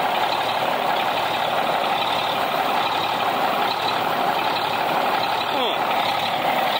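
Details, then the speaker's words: 1965 Mack B61 dump truck diesel idling after first start, air building, good oil pressure, running cool; steady rhythmless hiss over idle; air leak somewhere in the air lines. "So the next thing I got to do to this thing, hook the starter up and some other stuff. And I hear a leak somewhere."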